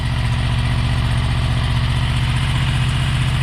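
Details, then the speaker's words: 2003 Honda VFR800 VTEC V4 on the standard exhaust, before fitting Micron end cans: smooth, even low burble with steady pulse, no knocks or rattles; normal idle. "Doesn't sound bad. Sounds like a Honda V4. But they are standard. Totally standard."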